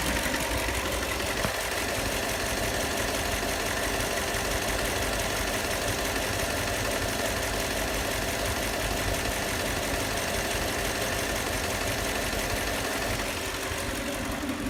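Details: 2004 Lexus LX470 with 2UZ-FE V8 at idle: steady idle with a dull repeating knock, heard clearly at one spot; valves checked and needed no adjustment, cause of engine knock unknown.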